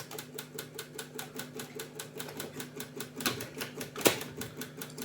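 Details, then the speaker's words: Japanese cassette deck after light cleaning, with a test cassette inserted: fast, even clicking about four per second repeating constantly; it won't play, stop doesn't work and the cassette won't eject; transport mechanism stuck cycling. "Що воно ж типа не випускає касету тепер. Воно тепер клацає постійно."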